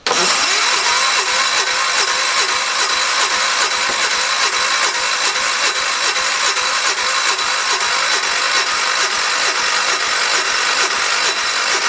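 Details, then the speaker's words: 1973 "112" after new points, coil, condenser and carburetor, on charger: slow even cranking about 2.5 turns a second with odd catches, fires but won't keep running; owner suspects flooding or a need for adjustment. "to be honest with you kindness sounds like it's flooded I almost wonder if it is"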